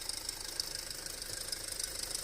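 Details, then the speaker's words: 2008 Audi A4 2.0T at idle with check engine light, codes P119A and P2279: fast, light ticking with a sharp hiss; failed PCV diaphragm built into the valve cover, which has no crankcase vacuum, and the cover is to be replaced. "We got a PCV issue. You hear that? This thing has a bad valve cover. So there we go. It's going to be the diaphragm that's built into this cover."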